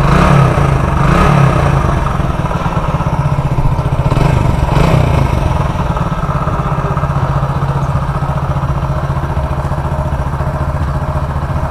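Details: Hero Splendor Plus single-cylinder after engine repair for crank noise: low, steady idle with an even beat and no knock or rattle; the engine sounds healthy.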